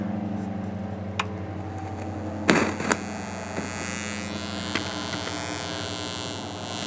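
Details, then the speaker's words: Ecoflow River 2 Pro with AC inverter on, powered speakers at full volume: steady low electrical hum with faint buzzy overtones from the speakers, gone when AC is switched off; inverter noise through the powered speakers. "so we do hear we do hear hear a little bit of hum we do hear a little bit of noise coming out of the speakers"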